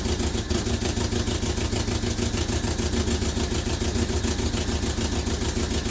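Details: Vauxhall Viva HC barn find four-cylinder after new fuel filter: steady even idle pulsing about three beats a second, no stumbling; fuel starvation fixed, running properly.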